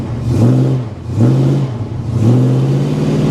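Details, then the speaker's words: 1973 Plymouth Scamp flood car, started cold with white exhaust smoke, oil pressure over 100 psi when revved, 14 V: engine blipped three times, pitch rising and falling cleanly, no belt squeal; belts sound fine. "How's that belt going? Well, it didn't. I didn't hear it squeal. Yeah. Did you? When I was revving it up?"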